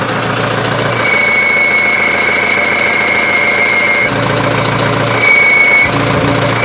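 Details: Diesel with HE351VE turbo on a standalone controller and Flowmaster exhaust at idle: high, thin turbo whistle comes and goes as the exhaust brake is switched on and off; normal turbo whine.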